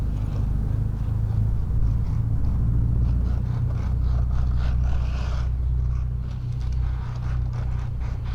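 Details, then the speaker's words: Honda Integra exhaust at idle after repair: exhaust flex pipe hole fixed by welding and front pipe to header refitted; steady deep low rumble, no puffing, ticking or hissing, sounds way better than before; normal exhaust note. "got it on sounds way better than before"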